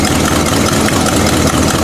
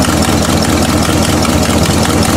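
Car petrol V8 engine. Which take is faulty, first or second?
second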